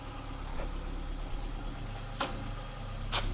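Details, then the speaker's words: Mk5 Ford Escort started after fitting a new exhaust (still knocking, needs adjusting): low, even idle burble with a couple of stray clicks, which the owner says is normal for this car; engine sounds healthy. "Right. Yep, that does that normally. That's very normal for this car."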